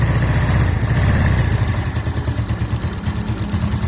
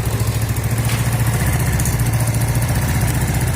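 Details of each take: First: Yamaha Mio automatic scooter, long unserviced and stalling: idle found too low, uneven loping pulses about three a second that rise a little as the idle adjuster is turned up; low idle speed being corrected. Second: Yamaha Mio automatic scooter with stalling complaint, after raising the idle adjustment: small single-cylinder putters at an even, steady idle with no misses, stumbles or knocks; idle correctly set, normal.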